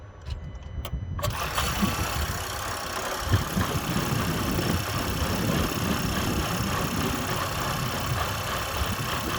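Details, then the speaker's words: 2024 Renault Espace E-Tech full hybrid 200, 1.2 three-cylinder 130 hp petrol with 68 hp electric motor: engine occasionally starts and settles into coarse, lumpy uneven rhythm; rough running, cause unclear. "Szkoda tylko że silnik spalinowy czasami pracuje tak jakby miał się zaraz rozpaść"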